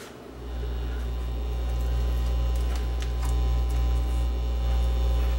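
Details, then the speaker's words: Dual CS430 turntable with no record playing; steady low mains hum holding level throughout; grounding fault, open ground from a broken wire in the audio output cable. "Yeah, this one's got a AC hum, so that's saying it's got a grounding problem. That's telling me right there it's got a grounding problem even without playing any records."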